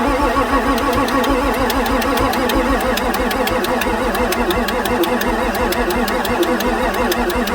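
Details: 1994 Ford F-450 7.3 diesel no-start on weak batteries, with 44 psi fuel supply pressure and the ICP sensor above 1 volt. Slow, steady cranking with a crisp, regular injector tick over it, but the engine never catches; weak batteries are suspected.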